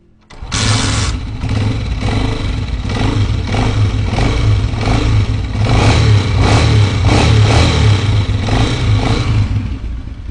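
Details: Honda CG125 motorcycle (2023 model) after a screwdriver adjustment of a pin on an internal board to cure loud engine noise; engine fires and settles into a steady even beat with light revs, no tapping or rattle left, running clean.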